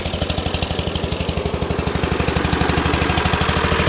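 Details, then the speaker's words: Dixon ZTR Kodiak SE mower, first start after charging: sharp, raspy pops about eight a second at idle, much louder than normal; owner suspects an exhaust leak. "It is loud. Sounds like I got an exhaust leak."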